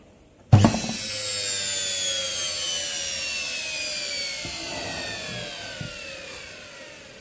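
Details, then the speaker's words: Washing machine universal motor (6 wires), wired in series on 220 V single-phase, running unloaded with no tachometer: sharp start, then a high screaming whine slowly falling in pitch as it spins down; normal very high-speed running. "Je sais pas si vous voyez, mais ça tourne extrêmement vite."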